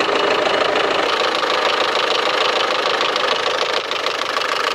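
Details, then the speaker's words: 2016 Land Rover Discovery Sport, 2.0 Ingenium diesel, 101,407 km, morning cold start with engine warning light on, heard from front: quick even metallic ticking about three a second over diesel clatter; cause undetermined; engine ticking at cold idle. "딱딱딱딱딱딱딱 거리는 소음이 지금 발생이 되고 있어요. 메달 소리처럼 난다."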